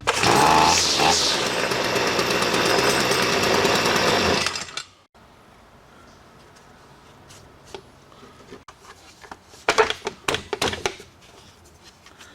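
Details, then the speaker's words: STIHL FS45C trimmer unused about 6 years, after carb clean, carb kit, new primer, fuel filter and fresh fuel: screams up to steady, even high revs with no stumbling, then shuts off cleanly; runs like new. "start running up runs like a brand new one"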